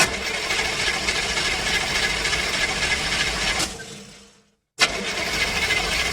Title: Car Engine Fail - Cranks No Start